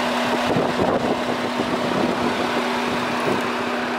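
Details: BMW F10 535d: loud steady rushing roar with constant hum, electric cooling fan running at high speed; scan showed only a throttle flap fault code.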